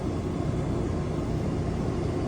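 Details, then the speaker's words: RV rooftop air conditioner on a new Micro-Air thermostat, fan set to manual low; soft, steady rushing air with a low even hum, a little quieter, no rattles or squeals, running normally. "you can see right there, manual low. And it's a little quieter."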